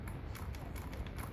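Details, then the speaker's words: High-powered car with CV-style axles: sharp, uneven drivetrain clicks as the wheel is rocked by hand before it actually moves, showing too much CV axle play; front and rear axles affected and due for rebuild. "you can hear just me doing like that you can hear the drivetrain clicking before it actually moves"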